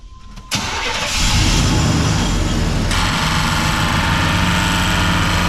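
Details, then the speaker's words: 1991 Chevy 1500 OBS truck: the engine cranks and catches, then a harsh metallic clatter jumps in over the idle as the year-old replacement AC compressor engages. It sounds like it's about to throw a rod; the AC compressor is failing. "Alright, you can tell that thing sounds terrible. It sounds like it's about to throw a rod."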